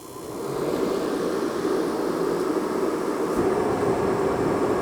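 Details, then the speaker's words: Mr. Heater propane torpedo heater after replacing the ignition module: igniter clicking, then even steady roar of burner and fan, no sputtering; running normally. "Did you hear the clicking? It works."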